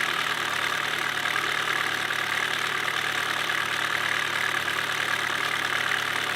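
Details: 2007 Chevy Cobalt SS Supercharged at idle with a loud, fairly even engine knock about three per second, just after a brand-new "v2" cam/timing chain tensioner; the knock is not fixed, maybe quieter, source not pinned down.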